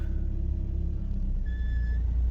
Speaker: see that the car moves the gearbox Works engine works